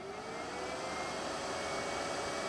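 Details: Cheap Chinese power supply cooling fan after a zero-cost oiling fix: smooth, steady airy whoosh with a faint even hum, with no rattle or grinding, meaning normal fan operation.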